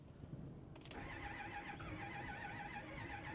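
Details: 2010 Ford F350 6.4 Powerstroke, 98,000 miles, sat 5 years without battery, battery voltage possibly low and oil found below dipstick; starter cranks steadily but engine never fires, crank no-start, cause not confirmed.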